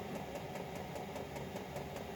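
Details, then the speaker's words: 5 kW Chinese diesel heater with LCD controller, fuel pump on its lowest setting, glow plug off: soft, even burner roar with light quick pump ticking, about three to four per second; no surging or sputter, running smoothly. "you can hear the fuel pump just going let's see 1001 1001 1001 you know there might be three or four revolutions per second which is a hertz so it might at its lowest setting"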